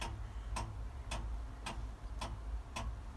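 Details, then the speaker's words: 1976 Ford truck with 7.3 IDI diesel, cold start: crisp glow plug relay clicking about twice a second over low rumble, glow plugs not working properly and engine won't fire; faulty glow plug controller suspected, to be replaced. "I've got it hooked up to a button hear that clicking all right apparently it's not supposed to be doing that"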